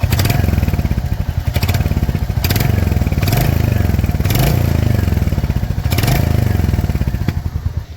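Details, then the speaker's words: Royal Enfield Hunter 350 idling after a downhill ride: steady thump with light fast metallic ticking, rattle thought from silencer, louder at high speed; staff diagnosed tappet (valve clearance) noise. "तो भैया ने अभी बोला कि इस ये टपट noise है और मोस्ट ऑफ द हंटर्स में टपट नॉइस का इशू आता रहता है"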